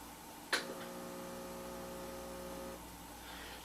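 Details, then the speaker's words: Breville BES250XL espresso machine with water in the tank, switched on: a click, then a steady low electrical hum with no pumping or water flow; seized pump, later restored. "La pompe est saisie. Je le vois tout de suite, je l'entends tout de suite."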